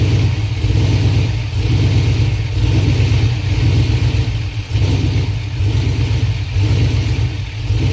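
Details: LS-swapped 5.3 V8 idling and revving roughly, loping unevenly about once a second and stumbling as it revs, a misfire; fuel pressure is suspected but the cause is not confirmed.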